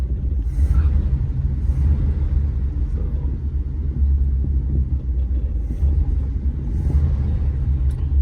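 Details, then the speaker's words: 1956 Chrysler New Yorker, owned 42 years and unused for about 15, running again after new tires and brake work: a low, even burble, smooth and steady with no ticking, knocking or stumbling. Owner says the more it runs, the better it sounds. "This is the one I kept. The more I run it, the better that engine sounds."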